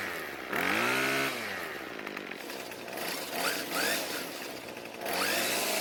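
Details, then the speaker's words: Craftsman two-stroke string trimmer after richening idle fuel (L screw a quarter turn counterclockwise) to cure stalling at idle: small buzzing engine revs up and drops back to a steady idle without stalling. It runs properly. "so it starts and runs just fine now and even though the trimmer head would not stop spinning on the table after using it some more it finally stopped"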